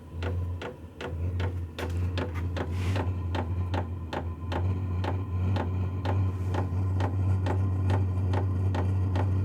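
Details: Vevor 8 kW diesel heater starting on its recommended 12 V power supply after earlier voltage problems: steady low hum with slightly uneven sharp ticks a bit over once a second from the fuel pump, with ignition apparently happening; normal start-up.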